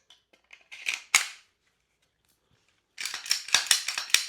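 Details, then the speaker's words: Glock 17 Gen 6 after greasing the recoil spring guide rod and its front face, which had squeaked: slide racked repeatedly gives clean crisp metallic clacks with no squeak between strokes; recoil spring cycles smoothly. "Takže okrem namazania tejto tyčky namažte toto čelo. Troška som tam dal streleckej vazelíny. A celé škrípanie ustalo."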